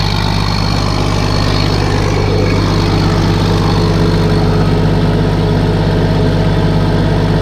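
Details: Case 1450B dozer with a freshly rebuilt diesel engine, just started after reassembly: deep, steady idle with even firing at an unchanging speed and no knocks or rattles. Oil pressure is rising toward 40 psi on a mechanical gauge, and the idle is normal.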